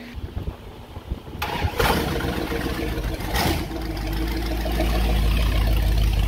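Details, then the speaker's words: 1977 Dodge B200 van, 318 V8 with TorqueFlite 727 and new performance exhaust, after sitting in a junkyard: starter turns briefly, fires and settles into a loud, even idle with steady exhaust pulses; 50 psi oil pressure, alternator charging. "oh that sounds amazing oil pressure and the sound of very pissed off armadillos"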